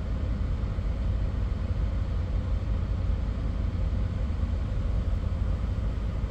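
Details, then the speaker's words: 2022 Chevy Corvette C8, 7,531 miles, check engine light on, warm at 198-199 degrees, in drive with foot on brake: steady low idle with slightly uneven pulse; car has stalled at idle and later cuts out, cause unknown. "My foot is just on the brake. I'm gonna try to hold this pose right here until we see if the car shuts off."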